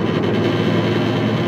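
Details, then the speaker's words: Believed 2007 Subaru Impreza hatch, 5-speed manual, not high mileage, with an intermittent wheel-bearing-type complaint. Accelerating at highway speed brings a heavy, steady low drone and buzz with road rush through the whole car; too heavy for a tire; drivetrain suspected, cause unconfirmed. "I can get a quite heavy and when when I got off at the same speed I mean it's causing a lot of noise it's something definitely going on in the drivetrain"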